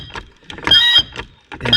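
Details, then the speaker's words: 1971 Mercedes-Benz 280 SE (W108) mechanical fuel injector on a hand-pump tester, starting with a mediocre spray then improving: sharp high-pitched repeatable chirps with each pump, meaning it is making a proper spray, injector saved. "And that chirp means it's making a spray. Isn't that something? Here's another one saved."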